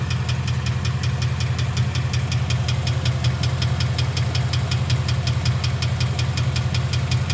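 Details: 2011 Mustang GT Coyote V8 at idle: steady, sharp knock about three times a second, suspected bad rod bearing, not confirmed.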